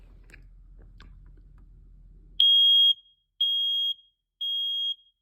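Three loud, shrill beeps about a second apart after the test button, clean and even, so this detector's alarm is working properly.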